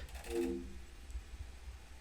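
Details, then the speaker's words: PS2 (version 9 or 10) sold with disc read errors, disc spinning up: short rough tonal grinding burst then quiet; laser worm assembly partly seized, sled screw binding. "ouch but you can hear there it's absolutely grinding away yeah there you go"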